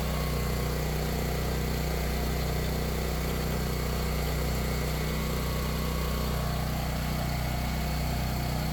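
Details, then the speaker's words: Power Stroke 6000 W 389cc petrol generator, 76 hours, after carburetor clean and fuel filter replacement, powering a big fan: constant smooth drone at fixed governed speed, no hunting or misfire; normal running under load. "right so there you go uh works fine turns on that big fan no problem"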